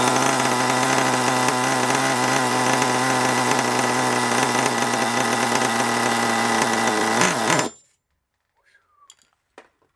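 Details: Long-unused HPI Savage 21 nitro RC monster truck engine, tuned rich for winter: high buzz with uneven, burbling pitch, then abruptly cuts out; rough, rich running suspected.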